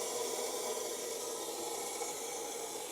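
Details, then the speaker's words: iSpring 3-stage whole house water filter after changing sediment and carbon filters: soft, steady hiss of water filling housings, no gurgle or sputter; new filters saturating normally over a few minutes. "So once this fills up, you'll hear it going through here too. So this will take a few minutes here just to saturate the new filters."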